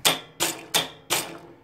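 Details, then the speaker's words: Honda CB550-engined go-kart with electric shift, two solenoids (left upshift, right downshift) triggered by steering-wheel buttons, upshifting: four crisp clicks a third of a second apart; solenoid actuating normally, occasionally misses a shift, possibly misadjusted. "there's both solenoids that's the up shift that's the downshift let me turn it on i'll show you how it shifts this is up shifting"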